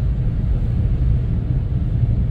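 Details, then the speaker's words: Subaru STI 2.6L boxer tuned with stock exhaust and intake and TD05 20g turbo, idling on the dyno: deep lumpy steady rumble, healthy and well set up. "silniczek sobie grzechocze ładnie samochodzik jest ustawiony"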